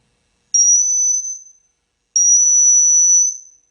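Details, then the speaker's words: Marshall amp with PCB, presence on 10, master volume pot cleaned up: two steady high-pitched whistles around 6 kHz, each about 1.5 seconds; suspected oscillation, source not yet found. "Well, that master volume's cleaning up pretty good with a little bit of working. Yeah, it sounds like some kind of oscillation to me."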